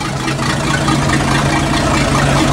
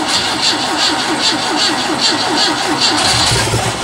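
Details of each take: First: Boat port engine after long storage, on water supply: just started, settles into low, fairly even idle burble with exhaust water noise; idling smoothly. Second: Sea Ray boat engine after long storage, technician trying to get fuel to it: fast steady cranking around three beats a second, stopping and restarting, turns over but won't fire.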